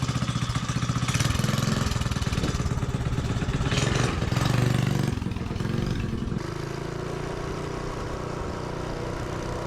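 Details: Minibike's small single-cylinder engine, started cold on choke before a warm-up ride for compression comparison: revs up and down smoothly, settles to a steady even idle with no misses or knocks; healthy.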